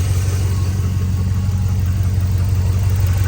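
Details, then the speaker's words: Non-DOD 1999–2006 GM Vortec V8 (4.8/5.3/6.0) with 266,000 miles, idling after the lifter-tick fix and an oil change, with no misfires: smooth, even idle, no clear lifter ticking, at most a faint tap on one side. "Drain it, change your oil. And as you can tell, I don't hear any lifters"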